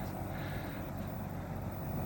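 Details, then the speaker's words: Daikin Fit 16-17 SEER fully modulating AC paired with modulating furnace, unit on high: smooth steady fan whoosh with only faint compressor hum, mostly fan noise; normal running at full capacity. "Sounds like about full blast. You notice that you're just listening to basically fan noise, a little bit of compressor noise. It's really mostly just the fan."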